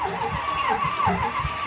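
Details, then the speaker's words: Engine cranks with uneven puffs and brief catches but never settles into a run; won't keep running. Owners suspect low compression, possibly an injector; no coolant in the oil, no pressure under the cap. "I think it's low compression, too. You hear it goes It's there's something that's not good."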